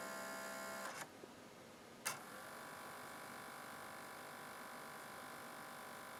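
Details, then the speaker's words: 18-year-old NAD L53 DVD receiver that won't read discs, laser lit: faint whirring buzz while seeking, then a stop and click as it gives up focusing. Spindle motor noisy, suspected faulty. "okay turning it on okay you can see our laser you can hear the he the motor is making quite a bit of racket"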